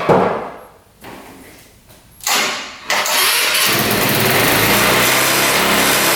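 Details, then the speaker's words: 2017 Tao Tao scooter after fixing a tight exhaust valve, cleaning the carburetor, fresh fuel and oil, started on choke: a few stumbling attempts, then catches right away into a steady even buzzing idle, no knocks or misses. "So, the center stand on this one's broken, but she fired right up. It wanted to go right away."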